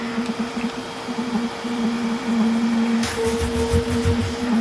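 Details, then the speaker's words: Bissell Little Green ProHeat carpet cleaner after clearing clog and reassembly, dirty water tank back in: steady even motor hum with clean suction rush, no choking; unobstructed, full suction power, sounds as it should. "so no clog, and we have full suction power. And then on top of that, the machine, when it's active, it sounds like it should. It doesn't sound obstructed or like you're not getting full power from it."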